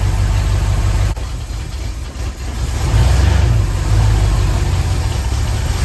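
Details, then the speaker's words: 1976 Ford F100 with freshly installed 351 Cleveland V8, first fire-up: deep, slightly lumpy rumble at fast idle with no knocks or ticks; ignition timing found a little low (retarded), needing adjustment. "I did see that we are going to have to adjust the timing a little bit. It is a little bit low, which I expected that."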